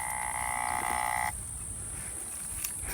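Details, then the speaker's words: American Hunter feeder with a BA Products timer and fresh battery: high buzzing motor whine cuts off dead as corn kernels jam under the spin plate and stall the motor. "I'm sure it'll spin now, but I'm telling you what, after this thing spins several times, typically the corn gets caught up in there."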